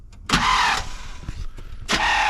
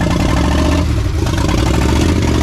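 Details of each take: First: 1979 Chevrolet C10, sitting for years, fuel line disconnected: two short half-second starter bursts, a whirring grind that cuts off abruptly as the engine turns slightly then stops; Bendix or flywheel suspected. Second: 1979 Chevrolet C10 V8, first start in years after farm-field rescue: deep, full rumble running steady and strong, picking up cleanly with throttle; running normally.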